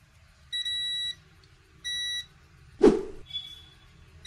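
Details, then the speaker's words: Apple laptop model A1369 on power-up gives long, even high-pitched beeps about every second and a half with no display; a logic board fault is suspected, possibly the graphics chip, but the cause is unconfirmed. "हम इस laptop के logic board को खोलेंगे और इसको diagnose करेंगे की motherboard के कौन से क्षेत्र में प्रॉब्लम है और यह बप की साउंड क्यों ए रही है"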